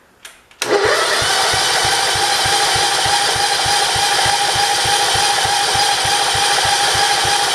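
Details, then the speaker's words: 1968 John Deere 110 garden tractor, first start after an engine install, on full choke with no fuel leaks: steady chugging about three beats a second that never catches; the throttle won't move, and the owner suspects the linkage needs oiling. "i don't see any gas everything's dry so that's good completely choked i wonder what the deal is"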